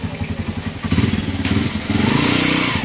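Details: Motorcycle engine two days after overhaul, revving: rough thumping clatter that follows the revs, still noisy after the overhaul; source unknown.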